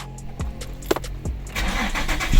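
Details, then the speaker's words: Infiniti G35 sedan (VQ engine) that had slow cranking, no start and rough idle with a bank 1 camshaft position sensor code, after sensor replacement: brief crank, clean catch, steady even idle. "so I'm gonna just skip that part and go ahead do that and show you guys how the car startup and idle now"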